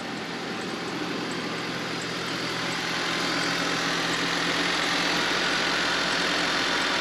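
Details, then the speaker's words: Honda Civic with an older battery reading 12.36 V before a slightly slow start. Right after starting, a steady, even idle with a smooth hum and no knocks or misses, settling slightly; the charging system shows 14.7 V and looks healthy. "we're going to let it run for a few minutes you can see it's a charging 14.7"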